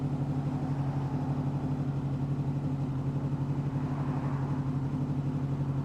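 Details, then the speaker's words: 2005 Honda VFR800 VTEC, warm, idle previously about 1500 rpm, adjusted to the manual spec of 1200 rpm; rpm settling down to exactly 1200 with an even smooth low beat, no misses or knocks; normal warm idle. "So as you can hear it now, the RPMs are dropping. We'll wait for a couple of more minutes. They'll come down to 1200 RPM."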